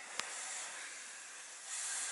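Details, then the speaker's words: Air system, heard at the fitting: thin, steady, unbroken hiss of escaping air from a leaking quick-disconnect fitting; a second leak suspected up front. "right here it's this quick disconnect sleeking I hate these things I really hate these quick disconnects you can hear it right there"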